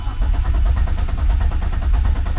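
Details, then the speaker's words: Turbo BMW E36 with a lean-running problem, first start after cleaning the MAF, chilly but not cold: steady, rapid starter cranking that never catches. Crank, no start; the usually loud fuel pump is not heard priming, and an electrical fault is suspected. "I don't hear my fuel pump at all my fuel pump's loud enough where you can hear it Prime"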